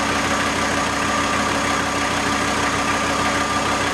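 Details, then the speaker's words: VW T4 AAB diesel van, about 250 km after rebuild, warm idle about 775 rpm under full electrical load (lights, fan): steady even clatter, no misses or knocks; normal idle. "And when I put the load to the generator, it drops. So now we have a typical load. We have driving lights and a fan. And reading is now 775, so it drops a bit, but as far we are over 700 with the full load, it runs quite okay."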